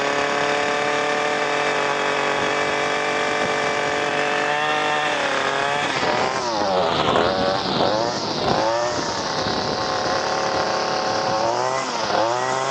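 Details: Echo SRM 225 two-stroke trimmer with cheap aftermarket carburetor, no adjustments: steady high buzz that holds even, then revs up and down cleanly with no stumble or bogging; ran as well as the original carburetor.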